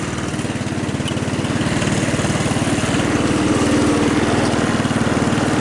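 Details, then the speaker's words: Hammerhead off-road go-kart, 150cc GY6 engine, cold start without throttle, makeshift air cleaner, oil unchecked: steady, even single-cylinder putter at idle with no stumbles, knocks or smoke; normal idle. "So you guys could hear it starts, it runs, right? No smoke, though I didn't check the oil, which is not genius on my part."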